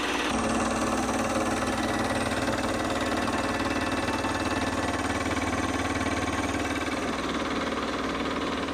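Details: Aged Delta Rockwell stand-up scroll saw that previously shut off immediately (suspected ground fault in ripped switch-to-motor wire), plugged into 20A GFCI: steady motor hum with even blade chatter about three strokes a second, no stumbling; runs normally.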